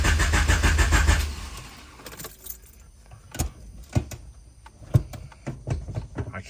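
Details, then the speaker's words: H22-swapped CB7 Honda Accord turbo build cranking after battery relocation to trunk and 0 gauge power wire; strong, even cranking about a second with steady chug, then stops without firing; fuel pump heard, ECU on, cause unknown. "can't get it to start still. I don't know what's going on here. I hear fuel pump. ECU is on."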